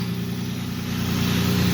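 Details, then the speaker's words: Lexus IS300 six-cylinder just after spark plug and coil upgrade, started seconds earlier, not yet hot: smooth, even low drone with no misses or stumbles holding steady; healthy normal idle. "Now I just turned it on a few seconds before I turned the camera back on here. And you can hear it starting to warm up here. It's not hot, right?"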